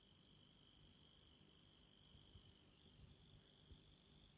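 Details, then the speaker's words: Cobra acoustic ACA-004 8-channel mixer switched on at the wall but not powered on, outputs disconnected, only an unplugged TD3 attached: steady loud high-pitched buzz with whistling tones and faint crackle from studio monitors; cause unknown. "there are no outputs no connections to my speakers uh it's only connected to a unplugged td3 and it's making this [ __ ] loud noise"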